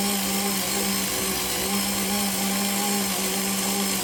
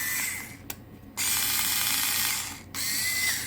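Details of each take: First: Parkside PAS 4 D7 cordless screwdriver with magnetic bit driving a self-drilling screw into fairly thick galvanized sheet steel: steady, slightly labored motor whine for several seconds; it manages the screw, though not without difficulty. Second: Parkside PAS 4 D7 cordless electric screwdriver, new, short no-load runs in forward: loud, steady high whine starting and stopping with the trigger, stranger and slightly grinding compared with reverse; loud gear whine.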